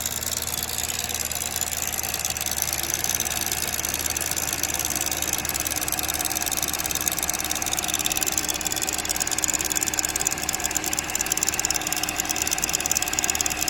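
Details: 2007 Chevrolet Cobalt 2.2 Ecotec at idle: fast light metallic rattle about three per second; broken timing chain guide, with a bad tensioner or chain suspected; timing chain rattle.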